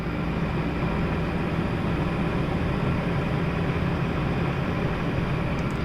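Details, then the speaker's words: LG Dual Inverter window AC (LA100EC) after repair of a shrill cricket-like chirp that appeared after 10 months, fixed at the bearing: steady, even low hum and airflow with no chirping squeal; normal running. "Yan. Nawala yung kuliglig, yung parang kuliglig."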